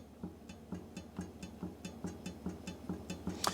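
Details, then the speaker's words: Rear wheel of a mountain bike with sealed-bearing hub rocked side to side: sharp light clicks about four per second, a loose knock from side-to-side end float, confirmed by play at the hub end cap adapter; hub end play clunk. "And that is the noise that you can hear there. That's the noise that it's making."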